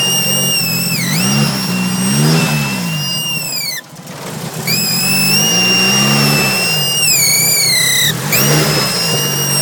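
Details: SR20DET just fitted with an Isis intake manifold: shrill supercharger-like whine over the engine, pitch rising and dipping with revs.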